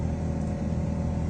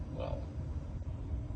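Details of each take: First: Car's A/C blower fan roars loudly with a rough, fluttery edge, worse at higher blower speed; dirt built up in the blower wheel. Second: Car air conditioning blower fan after being removed and cleaned of accumulated dirt that had made it noisy: soft, steady low airflow rush with no rattle, scraping or squeal; normal blower operation.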